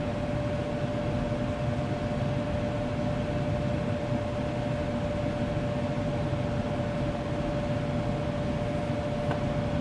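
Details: Furnace that was not blowing hot air, fault being a bad solder joint on the control PCB; steady low rumble, constant tone near 600 Hz and even airflow hiss, no knocks, running normally.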